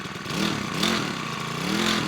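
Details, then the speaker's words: New Makita EBH252U petrol four-stroke brush cutter, cold on choke during 2–3 minute warm-up, backing choke off too early would stall it; fast idle with gentle rise and fall in pitch every second or so, normal cold running. "You need to progressively take the choke back as it warms up. It takes 2 or 3 minutes just to warm up, so we'll let that warm up."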